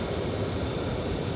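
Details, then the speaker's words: 2015 Audi Q5 cabin blower motor running with steady airy whoosh at moderate speed but won't go past setting seven, later won't go down to two; blower stuck below top speed. "Now it's actually working. somewhat, but it will not go past seven. Like, I'm trying to take it up. It will not go past seven."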